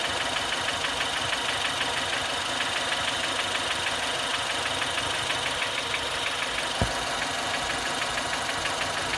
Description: 2016 Fiesta st engine knocking at idle